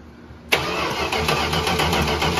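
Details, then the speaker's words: 1968 Dodge Charger garage find, parked since 1994, brown cranking-ignition power wire issue: starter spins the engine briskly and evenly but it never fires; crank no start with no spark reaching the plugs. "okay let's check for sparks again indeed stuck to the plastic too that's because it's hot we thought it had spark but we were mistaken"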